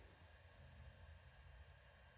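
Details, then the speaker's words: Western Digital My Passport Ultra external hard drive, about five years old and in regular use, just plugged in: only a faint, steady low hum and soft hiss from the disk spinning, with no clicks or scraping; a healthy, fairly quiet drive. "This is from the disk spinning. It's not too loud."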